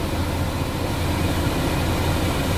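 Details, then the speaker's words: Sinotruk Howo 371 truck idling after its defective aircon blower controller was replaced. Ignition on, aircon switch set to auto. Steady, even hum with the cab fan blower running smoothly, no surging. Blower now works, unlike before. "Dito na tayo sa ano, aircon switch. Tapos i-auto natin. Function na. Hindi katulad kanina,"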